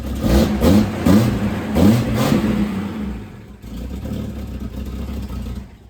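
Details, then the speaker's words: Throttle blips after new mufflers went on: the exhaust note is soft, puffy and fluffy rather than crisp, coming from holes in the front resonator, which will be welded up; running rich with the airflow meter disconnected. "It actually kind of sounds the same. The resonators make a mixed noise. That's where all the sound's coming from. I'm gonna have to weld up the holes in that resonator."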